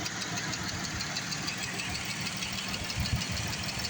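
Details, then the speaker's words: 2012 Chrysler Town & Country 3.6L VVT idling after engine flush, before oil change: fast, light ticking about three per second from the top end over smooth idle; noisy lifter. "there's the lifter it's still talking to us it's all right it's going to quiet down"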